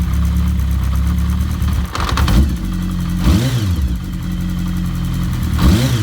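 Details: Kawasaki GPz750 Turbo blipped and settling to idle with a light metallic clatter on the idle; abnormal cam chain noise from the top end.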